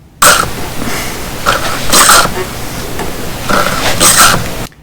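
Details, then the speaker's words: DVO Topaz mountain bike rear shock making a wet, hissing squish on every compression; cavitation, where air or nitrogen has contaminated the damping fluid from an internal failure, fixable by rebuilding the shock. "have you ever gotten on your your bike and compress the suspension and you hear this squishing noise"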